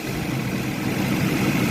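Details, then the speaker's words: Classic auction car with a small four-barrel carburetor, a marking reads 3813 while dash suggests 303; short stretch of even low-hum idle under the hood, no knocks or misses, running good. "that's a 3813 but I think these I think it's a 303 on the dash so that's interesting but it's running good you know"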